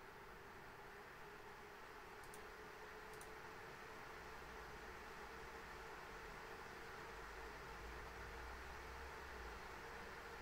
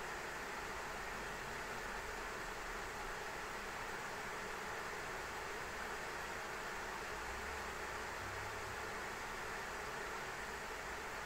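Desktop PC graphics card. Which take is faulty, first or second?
second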